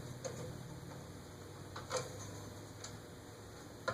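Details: Eagle Fan Corp 2811 "Grand Duchess" retractable-blade ceiling fan, blades fully extended: faint irregular ticks every couple of seconds over a quiet motor hum, from the motor, not the blades; worsening, suspected top bearing.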